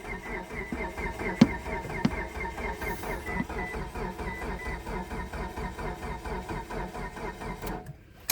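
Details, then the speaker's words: 2012 Mitsubishi Galant, after fitting a standard throttle cable: steady whirring crank with rhythmic pulses, never fires; owner plans new starter and crankshaft position sensor, cause unconfirmed. "You don't hear it, but you can feel it almost. It should be turning over a lot faster than that."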